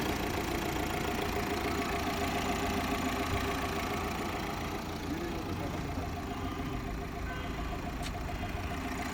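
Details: 2025 Tata Safari diesel at idle with steady, even clatter that neither hunts nor knocks; engine sounds healthy.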